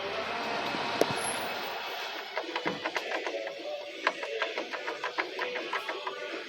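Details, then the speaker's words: Fiat Palio Fire whose noise seems to come from inside the engine. Sharp, uneven clicks about three times a second sit over a quiet idle. Cause: the water pump shaft bearing; the pump looks new but has a stain at the weep hole, as if its seal had failed. "Barulho no eixo da bomba d'água. É o barulho que que o cliente tá ouvindo aí, né? Aparentemente dentro do motor."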